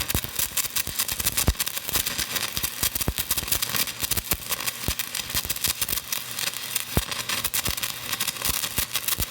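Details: Hitbox TIG 200 stick welding a 7018 rod at about 190 amps on a shared household circuit (200 amps trips the breaker): steady dense crackle with sharp pops like frying bacon, holding even; normal stick welding arc.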